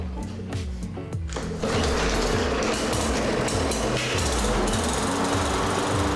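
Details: 2018 Briggs & Stratton 450 series mower, previously a no-start, after cleaning the plastic carburetor: small single-cylinder engine catches and settles into a quick, even putter with no misses or surging.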